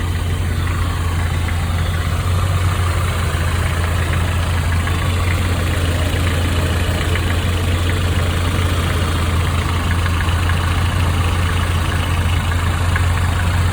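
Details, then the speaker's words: 1995 Nissan truck 2.4 L four-cylinder at idle before Tribo-MAX oil additive: light, quick, even tapping that follows engine speed over a steady idle; ticking valve lifter noise. "this is a 95 nissan with a 2.4 liter uh 4 cylinder it's got a valve last ticket nothing noise"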